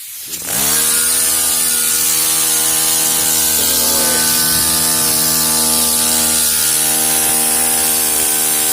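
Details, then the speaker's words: Tiny micro steam engine run on compressed air: quick spin-up to a fast, even buzzing chuff with strong air hiss, holding a steady pitch; the engine runs smoothly. "These will run off air pressure, so let's just have a listen here. It sounds cool."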